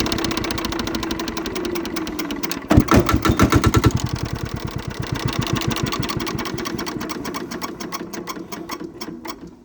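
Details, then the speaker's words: King Canada 5000W diesel generator, auction purchase, first start, run with a jumper wire on the starter in place of a push button: it cranks briefly, fires up quickly and settles into a steady, even knocking run at about three beats a second, smoking a bit. "Obviously it did not shut off by the key and it fired right up. So wasn't expecting it to start that fast."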